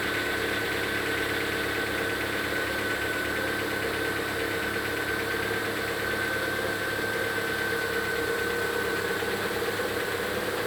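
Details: Lada Vesta at 26,000 km, cold idle: light steady tapping about twice a second, present from new; pistons replaced with no change, then the rod-and-piston group replaced.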